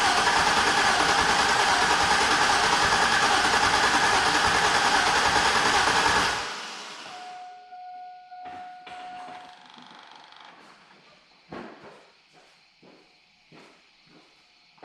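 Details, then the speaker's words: 2002 GMC 2500 HD 6.0 L V8 4WD auction truck, ignition relay pulled so no spark, fluid suspected in a cylinder: even, steady cranking about six seconds with no catches or limps; engine turns freely, compression seemingly similar across all eight cylinders. "oh that's a successful test it cranks over well it uh it sounds even I don't hear any like G or limps so I'm going to assume we've got at least similar compression in all eight cylinders"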